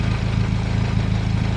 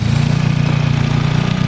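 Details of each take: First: Warm turbocharged petrol engine idling smoothly just below 1000 rpm with a steady low hum and even pulses, after a vacuum leak causing high idle and code P0507 was found and fixed. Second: Turbocharged engine with a P0507 high-idle code: steady low idle hum falters, then settles into a different rhythm as brake parts cleaner sprayed near a tee fitting finds a vacuum leak, a hole in the tee.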